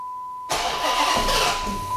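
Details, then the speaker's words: Hemi engine's first start after an oil pump swap, with the key cycled to build rail fuel pressure before a full heat cycle. After a brief crank it fires instantly and runs smooth and even with no ticking or misfire; no leaks, healthy start. "oh there we go always a good sign when it fires like that don't see a bunch of leaks immediately which is always important all right everything looks and sounds good"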